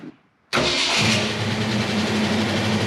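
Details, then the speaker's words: 1966 Mustang coupe, factory 289/302 V8, 4-speed, after holed driver-side header tubes were repaired and manifold gaskets replaced: engine settles into a smooth, even idle with clear muffler rumble and no exhaust-leak ticking; leak fixed. "the ticking sound or the the telltale sign of an exhaust leak i don't hear that anymore in fact you can hear the the mufflers now over the sound of the motor which is great"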